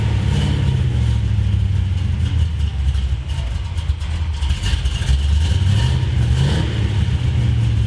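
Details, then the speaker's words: 1973 Plymouth Road Runner big-block V8 with four-speed on a test drive under load: deep drone with uneven loping exhaust beat, feels like running on seven cylinders; a passenger-side cylinder keeps dropping out, possibly as on the last drive, cause not confirmed. "I definitely felt like it was only running on seven cylinders there maybe it's the same as last test drive why we lost the cylinder yep we lost the cylinder boys"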